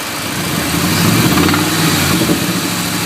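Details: Ford 5.4 2V V8 at idle: rough running with an uneven knock about three or four a second; source not identified.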